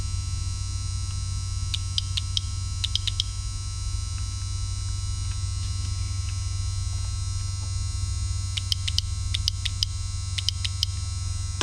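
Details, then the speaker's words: Shift solenoid removed from a 1999 Toyota RAV4 automatic transmission (codes P0758, P0773, losing 1st and 2nd gear), bench-tested with casing ground: crisp bursts of sharp clicks over a low hum, solenoid working normally. "Now these particular shift solenoids, the casing is ground because it only has one wire. So let's hook up a ground to it. We should hear that shift solenoid clicking."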